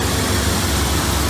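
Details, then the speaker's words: Ford F100 with 351 V8 and Holley carburetor with electric choke, after replacing the voltage regulator (charging now 13.45 V, was about 17 V): deep steady idle rumble, no misses or knocks; runs and sounds great. "now this F100 runs and sounds awesome"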